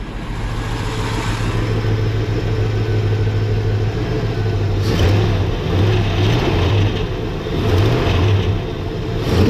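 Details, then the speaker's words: LT1 V8 running without a water pump or coolant, testing the original Optispark after cleaning oil out of it: idle, then clean, even revs with no stumble. Owner noticed a shaking-type noise, source unknown. "Sounds pretty good."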